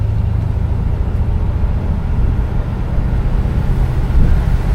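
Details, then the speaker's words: 1975 Pontiac Grandville, 455 V8, under throttle while driving, recorded from inside: deep, steady rumble pulling evenly over road noise, smooth shifts, no knocking, belt squeal or exhaust leak; engine healthy. "she pulls with zero issues. The shifts are nice and smooth. As you can hear, no weird sounds, no belt squeals, no motor knocking, no exhaust leak, nothing like that. She sounds good for sure."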